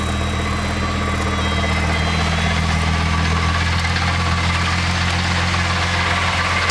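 Engine idles with a steady low drone and a constant growling hum from the gearbox underneath, consistent with a worn transmission bearing.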